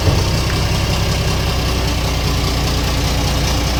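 Steady, even low diesel idle with a smooth, unbroken rumble and no knock or tapping over it; engine running healthy.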